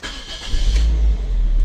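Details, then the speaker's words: 2010 Toyota Altis that previously needed long cranking now starts with one brief crank and fires at once into a steady low idle after FI mode fix (BCM not the cause); normal quick start, about 1–3 seconds expected. "one click dapat ano lang to 2 seconds ang pinakamatagal ay 3 seconds on start yun normal na ba"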